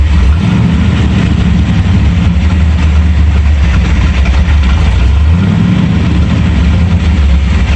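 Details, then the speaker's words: Ford F-100 351W V8 on a replacement carburetor, idle screw turned up half a turn: deep idle with uneven, wavering beat and stumbles, barely runs at about half throttle; owner says air leak, carb gasket suspected; rough idle. "that's definitely an air leak barely runs when i hold it about half throttle so we've got something going on with it"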